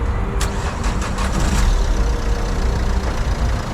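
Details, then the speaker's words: Used car, automatic gearbox with failed selector; engine cranks a few times, catches and settles to a steady, even idle with no knocks or misses, running really well. "Ok. Déjà le moteur tourne bien. On entend qu'il tourne vraiment bien."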